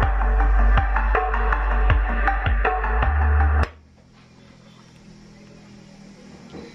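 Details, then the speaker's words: Restored 15-inch Randal speaker with a new voice coil, test after repair with amplifier tone controls flat: music plays clean with deep, firm bass and no rattle, buzz or scraping; the driver sounds healthy. "Oke Mantap ya untuk suaranya teman-teman untuk low mantap sekali ya gunakan headset agar lebih jelas lagi untuk bnya ya teman-eman"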